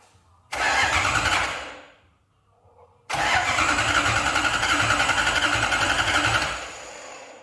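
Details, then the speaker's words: Lexus IS200 with a 1UZ V8 swap on an ECU Master harness and ECU, first start attempt: two cranking bursts of steady starter churn at about four beats a second. It never catches: no fuel, the fuel pump isn't switching on and there's no ignition. "Il n'y a pas d'essence. Je pense qu'il arrive. Mais attends 2 secondes, on est d'accord que là il a tourné."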